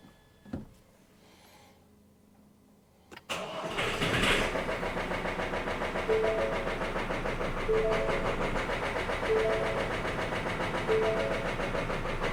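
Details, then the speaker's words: 3-year-old truck cranks and catches after five fuel-pump priming cycles, then stumbles with an uneven beat near 3.5 per second, barely idling; injector/fuel clog ruled out, motor found completely destroyed. "Oh. Uh-oh. Let's see again. It's running, but barely."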